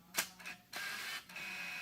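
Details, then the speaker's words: Minolta AF-mount 100-400 mm zoom clone lens on a Sony A7RII via an adapter: short bursts of gritty whirring motor noise at power-on, stopping and starting; the lens drive grinds as it powers up. "the problem is it again makes this weird grinding nose when you first turn it on"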